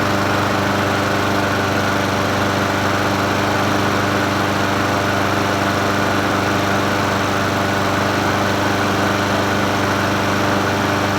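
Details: Troy-Bilt self-propelled mower with Honda GCV160 engine, free curbside find, restarted after first run: steady, even single-cylinder putter at constant speed, no misses or knocks; carburetor not leaking, self-propel and cables work; normal running.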